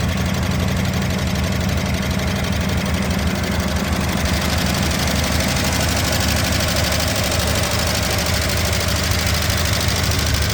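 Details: Barn-find 1963 Ford Galaxie 500 convertible, 289 V8, first start in 30 years on primer: rough uneven idle with busy top-end clatter; valve train noise, owner hopes lifters just stuck and may add automatic transmission fluid to free them.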